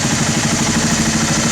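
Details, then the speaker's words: Honda TRX300 ATV that sat for 5 years, with the carb cleaned and refitted on a new fuel line, during pilot screw adjustment: even single-cylinder idle that rises off the lean side and drops when rich, seeking the fastest idle. "there you go now you it dropping that means it's getting rich so then you want to kind of find the middle ground there where the idles the fastest"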